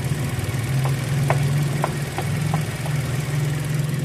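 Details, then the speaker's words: Toyota Altis with its front wheels spun by the engine, forward and reverse, for a noise the customer blamed on the brakes. Steady low drone with faint ticks coming from the middle: mechanic diagnoses a noisy transmission, with fluid check next. "Ang problema, maugong siya galing transmission ng ingay. Okay na, sa transmission yung maingay."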